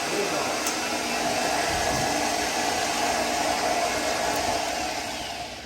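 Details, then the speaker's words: 1995 Ford F150 after a starter swap: a loud steady whirring grind stays at one pitch after the engine fires, then fades, so the starter is staying engaged. "well that's not good that's your starter staying on yeah that's not good"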